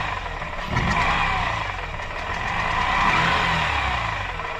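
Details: Mazda RX-8 rotary idling with a raspy, uneven note that swells and fades; owner unsure whether it is a vacuum leak or a broken apex seal, cause unconfirmed.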